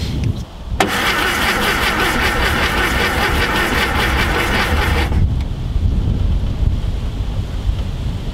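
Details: VW Type 181 Thing that sat since 1989: the starter cranks steadily for about four seconds at two or three turns a second but never fires. There is no spark, the ignition points are worn, the battery sounds weak and a condenser is suspected.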